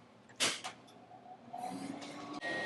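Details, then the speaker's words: Half-horsepower three-phase motor, probably a 1947 milling-machine original, fed by a variable frequency drive converting single-phase: a soft hum and thin high whine shift in speed as the drive frequency changes, with handling clicks. Normal motor run. "and if we change the frequency that the drive is outputting the speed of the motor changes and so that's basically how we're going to control this thing"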